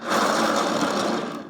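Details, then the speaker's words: Cheap, creaky, very light Luminina (likely Aldi) mixer turntable spun by hand, unplugged: gritty, crunchy rumble fading as it slows, like rolling on gravel; rough turntable bearing. "doesn't that? It sounds like it's rolling on gravel. Okay, so I'm not expecting good things."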